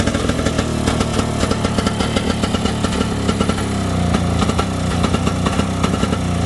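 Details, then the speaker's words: 1971 Johnson Skee Horse 30 hp snowmobile two-stroke, first run after restoration and years sitting: crackly popping beat holding steady fast idle with no misses, smoking; running fine. "good enough for saturday got smoke coming out of the sled shed there that's a good sign"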